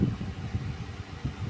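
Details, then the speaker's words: 25 W fan on a simple solar power setup, running from a pure sine wave (PSW) inverter at speed two: low, soft hum with gusting airflow whoosh, no buzz or rattle; normal running. "Ini suaranya ketika menggunakan inverter PSW."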